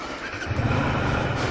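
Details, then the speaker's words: 2000 Honda Shadow 125, carbs cleaned the day before: brief crank then instant cold start into even low rumble; owner suspects engine or starter idler bearing for a separate metallic noise. "Alors, comme vous avez vu, démarrage à froid au quart de tour."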